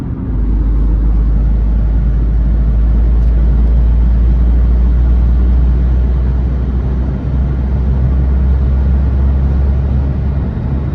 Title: Smart Fortwo noise when accelerating.